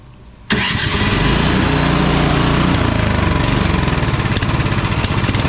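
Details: Husqvarna ST230P snowblower, LCT PW2HK18850 single-cylinder engine, gas left in since last year, fires unprimed on choke with a slightly uneven, hunting surging beat; won't run off choke, carburetor cleaning needed.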